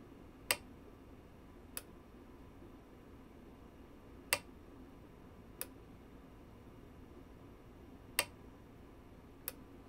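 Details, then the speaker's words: PR-7820 DiscoVision laserdisc player: sharp clicks repeat in pairs over a quiet hum as the focus actuator slams its end stop, unable to lock focus; disc speed, laser and alignment are good, and capacitors have been suggested as the cause. "that clicking is indicating that it's like it's slamming itself against the end stop trying to focus but it can't focus but the laser is good"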